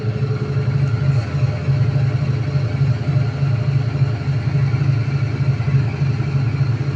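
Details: IFB 8.5 kg top-load washing machine during spin, customer complaint of loud noise: loud droning hum with rough, uneven throbbing about four a second; drum loose.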